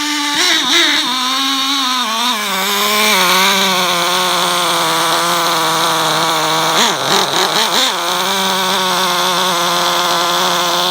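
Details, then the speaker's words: HSP/Exceed RC Thunderfire 1/16 nitro car after clutch replacement, run a little richer than usual aiming for about 200 degrees; loud buzzy high fast idle with wavering revs and blips; clutch engagement rpm high, new clutch spring expected to loosen. "it sounds like it's running pretty well if not a little high I expect the clutch spring to slowly loosen up and lower that engagement rpm"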